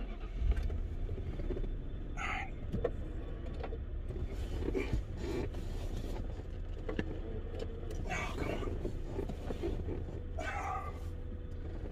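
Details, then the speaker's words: 1995 car at idle: short rising whirs from the power window motor with no glass movement following; the motor works but the window glass is off its track. "on nope i can't get it i tried it's off the track you can hear it the window works the window works it's just off the track sometimes that happens"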